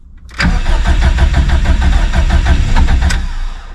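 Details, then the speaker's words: Stock Subaru EJ257 STI drag car on a 66° cold morning, mechanical fuel pump with no lift pump, in neutral: steady starter cranking about three beats a second for three seconds without catching while fuel pressure slowly builds; long cold-start cranking. "she cold there's the [Music] pop almost well it's safe to say I'm going to need to work on the cold St holy [ __ ] come on"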